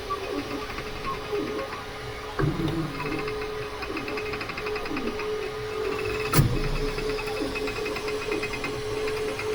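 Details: Creality K2 Plus 3D printer, about a week of use, firmware updated 2025-05-01, printing unusually slowly (owner unsure if print setting is why): steady whine, stepper chatter and a few sharp clicks and knocks; owner thinks it sounds different than before, cause unknown.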